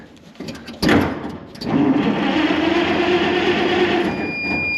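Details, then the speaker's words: 1930 International fire truck (possibly A5), showing 52,000 miles, on a jump box as negative ground: steady starter whine and even cranking for about three seconds with no grinding; cranks over fine. "cranks over good um there's some buttons and switches over there"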